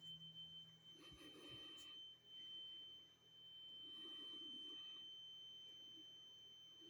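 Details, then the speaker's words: Carbon monoxide alarm sounding at 01:45 as a constant unbroken tone, not beeping, that seems to come from the hallway or walls; it was later found to be a small cellphone-sized box on the floor. Steady high-pitched tone in a quiet room. "just a few minutes ago that started up sounds like it's coming from the hallway or up above in the walls specifically in the hallway just around the corner there none of the other alarms are the source of that noise"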